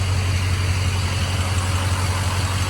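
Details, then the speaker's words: Ford Excursion diesel after head stud job: fired up fine, steady deep clatter at even idle with no misses, knocks or stumbles; normal idle. "Fired up fine. I forgot to turn the camera on, but it's all good."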